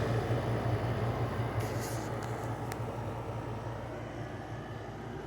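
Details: LG 6000 BTU window air conditioner at startup on low fan: the GMCC rotary compressor kicks in with a steady low hum and light fan rush, even and unbroken; running normally.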